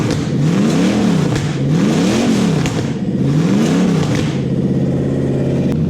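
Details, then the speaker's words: Non-VVTi Toyota 1UZ V8 on a Link ECU with coil-on-plug conversion and standard throttle body: three clean throttle blips, then a steady even idle sitting slightly high, adjustable down; normal running. "that sounds pretty good to me sea otter speed might be a bit high but that can be adjusted down quite easily now"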